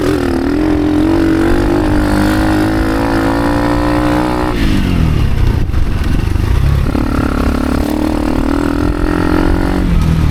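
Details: Motorcycle on gearing-change test ride: engine labors at low revs, note sagging near stall most of the ride; rear wheel bound up on brake caliper or axle, massive drag making bike work far harder.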